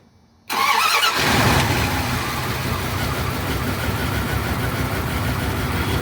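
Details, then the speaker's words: Dodge Ram 1500 5.2 L truck that shut down while driving, crank-no-start: after replacing only the distributor cap (wires and coil not replaced), short crank then clean catch into smooth, even idle with no misfire; distributor cap was the fault. "all right up and running very good all right truck truck is up and running right now so dist the distributor was the problem"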